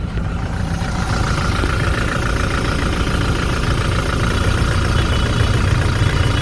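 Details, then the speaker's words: Toyota Hilux 1GD diesel with knocking and black smoke, scanner actuation test cutting the third injector at idle: loud heavy rumble with a lumpy uneven beat and shaking shifter, showing that cylinder was contributing. "ये मैंने स्टार्ट किया, ये इसका शिफ्टर हिलने लग गया और आगे इंजन में इसका साउंड चेंज हो जाएगा।"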